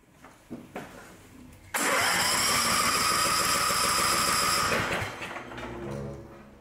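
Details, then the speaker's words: Cub Cadet mower with its own Chinese-made engine and electronic Intella Power throttle module cranks with a shrill whir for about three seconds but won't start; it had been running poorly. "It's not starting now. It won't even start."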